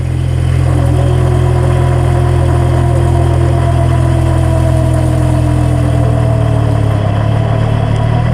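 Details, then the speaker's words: Differential recorded with a microphone near the housing: low drivetrain drone with a gear whine and a faint rough beat, from one or more damaged ring gear teeth; the vehicle should not be driven. "Este es el sonido que hace cuando uno o varios dientes de la corona están dañados"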